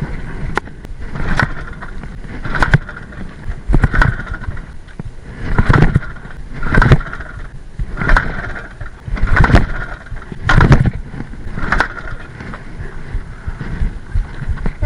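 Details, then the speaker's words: Balkan 50 (50 cc retro dirt bike) on a forest trail: repeated kick-start strokes, about one per second, give short thumps but engine never catches; no-start, cause unknown. "явно пак няма да може да го запалим."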